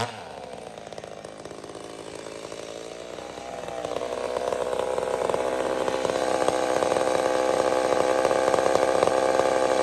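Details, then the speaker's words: Old McCulloch Super Pro 70 chainsaw cutting on a hot evening: strong, steady high pitch under load without surging. Healthy, powerful cut. "don't look for perfection here look for power in the cut the gurgle you know what i mean look for the things you need"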